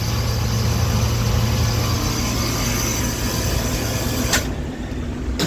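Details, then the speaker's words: R22 A/C unit on no-cooling call, after getting the condenser fan motor running: compressor churns harshly with rattling like rocks inside over a low hum; rough, noisy compressor. "Actually, I take that back. This compressor still sounds like it got rocks in it."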